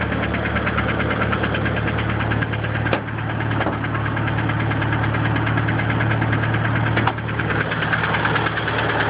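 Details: DSM engine at steady idle with a light, uneven tapping on top; it could be a lifter tick or a rod knock, cause unconfirmed.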